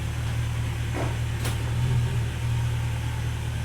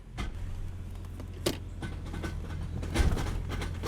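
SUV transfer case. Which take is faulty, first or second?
second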